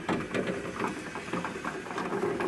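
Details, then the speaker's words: Ford LTD door window crank after degreasing and regreasing all regulator moving parts: light, regular ratcheting patter, no grinding or binding; window now winds up easily with one hand, previously nearly impossible. "that is so much easier and so much better i thought i was gonna regret doing this but i don't regret it at all it's so much better the way it is now"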